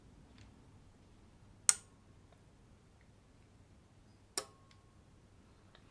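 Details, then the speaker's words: Topward bench power supply, capacitors reformed on a Variac, 25 V set with no load: turning current to zero drops voltage to zero as two crisp relay clicks sound about three seconds apart; normal relay operation. "And if I turn the current right down to zero, then the voltage goes to zero, which is exactly what you'd expect. You might be able to hear there's a a relay clicking in the background."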